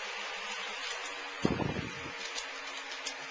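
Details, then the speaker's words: 1956 Signal/King-Seeley Cool Spot 161400 16" oscillating table fan, blades de-wobbled and switch cleaned, on medium: soft steady motor hum with the typical faint shaded-pole whine, more noticeable than on high, under airy blade rush; normal. "As noted before, you can kind of hear the motor a little bit more prevalently on this speed. It's got that, again, that little shaded pole whine that these fans are kind of known to have."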